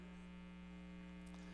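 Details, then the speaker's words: Old pinball machine; constant low steady hum because weak or bad filter capacitors let AC ripple into the DC supply. "And if you can listen to this, you can hear hum. But that's actually because this game is so old and, you know, he's got caps in it and everything, so this game probably had a louder hum."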